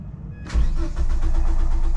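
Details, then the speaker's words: 1994 Volvo 850 after sitting one to two hours, starts only with jump starter: starter spins engine quickly with even, rapid compression pulses under two seconds, never fires; fast crank no start, cause unconfirmed. "really fast crank no start"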